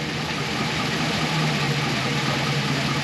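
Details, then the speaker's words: 2004 Chevy Express 4.8 V8, warmed to full temperature after about 7-10 minutes: even low rumble at warm idle, lifter noise gone; lifter knock only when cold suggests failing lifters. "nada de ruido les voy a mostrar la temperatura del motor por este lado tampoco Mira la temperatura está ya calentó se quita eso"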